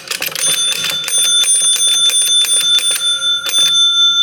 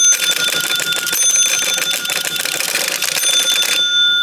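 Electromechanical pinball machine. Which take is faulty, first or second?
second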